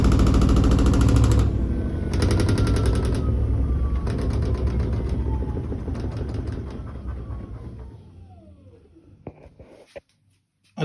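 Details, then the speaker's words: New Koenic KWM 8212 A INV inverter washing machine: a fast clattering lid rattle over the spin that eases as the drum winds down. The lid doesn't close properly and doesn't wobble, cause unclear. "Nur der Deckel, der macht ein bisschen Lärm, aber ich verstehe noch nicht genau, warum, weil er wackelt nicht."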